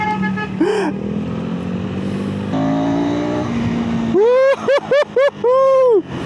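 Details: KTM SMC-R 390 single at about 1,000 km, in break-in, right after first service (oil and filter change), earlier stalling issue: quick throttle blips rise and fall cleanly, no knocks or rattles; healthy revving.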